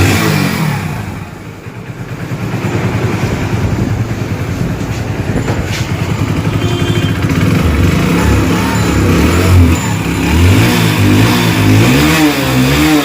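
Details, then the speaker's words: Hero HF (Deluxe) single-cylinder motorcycle just started after timing chain replacement: steady, even putter with a light throttle blip and no rattle or tick from the top end; runs clean, like factory. "चलिए दोस्तों इसकी आवाज perfect complete company type आ चुकी है दोस्तों"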